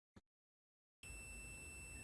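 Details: Multimeter continuity test on a computer mouse's left-click micro-switch after cleaning, contacts reading about 0.1 ohms; steady high beep holds without dropout, showing solid continuity.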